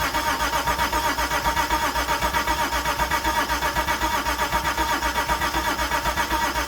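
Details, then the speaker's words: Mitsubishi GTO twin-turbo with self-rebuilt engine, first start attempt in 3 years after filling the tank, fuel pump not heard priming: steady rapid cranking with even compression pulses that never fires; cranks, no start. "I don't know why but it just wouldn't start well that didn't work um yeah didn't start"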